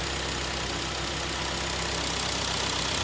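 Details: 2011 Hyundai ix35 G4KD, 153k on the odometer, with heavy oil burning from coked rings and a knock after cold winter starts; heard from outside: steady, even idle with no knocking or misfire here.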